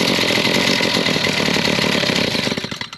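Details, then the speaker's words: Stihl MS 170C chainsaw keeps buzzing at steady idle after being switched off and only dies when choked out; the kill circuit that was believed shorted is not. "Now, she's not shutting off at all. So, we're going to have to go back part of"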